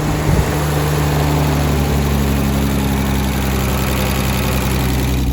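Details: BMW E36 started for the first time after sitting, with a hole in the intake and smoking at first. It now settles into a smooth, even, low idle hum with no stumbles.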